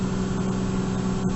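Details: 1998 Lexus GS300 idling after fuel pump replacement and priming: smooth, even low hum with no misses or ticking; engine idles normally.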